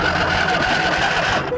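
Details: John Deere L120 lawn tractor with a replacement battery: fast, even churning as the starter cranks the engine without it catching; a clicking noise is heard at the carburetor, and the fuel is nearly dry.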